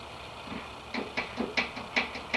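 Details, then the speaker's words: 1969 VW Baja engine, shut off right after starting, crankshaft fan pulley rocked in and out by hand: sharp metallic clunks about three a second. Excessive crankshaft end play; only a few thousandths is allowed. "and i'm pulling back and forth you can hear that noise i'm sure that's in play you're only supposed to have a few thousands"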